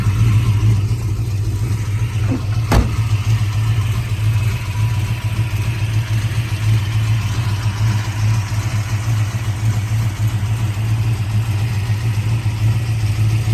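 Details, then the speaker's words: 1966 Shelby GT350 4-speed, numbers-matching 289 HiPo freshly rebuilt to 331 stroker (forged pistons and crank), solid lifters, warm after being driven: steady, even V8 rumble with crisp throttle response, audible solid lifters, no knocks or misses; normal running. "is still solid lifter engine as you can hear the solid lifters [Music] this car is ready to go I mean it's basically mechanically brand new"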